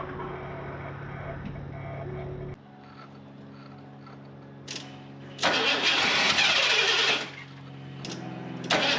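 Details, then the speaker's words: Fuel-injected Ford F250 that sat several years: long cranking that never catches. Spark is good but the injectors aren't firing, with both injector wires grounded out. A fuel issue. "It's definitely a fuel issue. All right, so this Ford, the injectors aren't firing. Got good spark."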